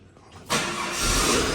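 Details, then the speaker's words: Holden WH Statesman L67 supercharged V6, M90 supercharger 5% overdriven: coarse rumble from the supercharger front at and just above idle, felt through the car; faulty coupler in the supercharger snout. "it sounds like this so at idle and just above idle you get a bit of a rumble from the front of the supercharger"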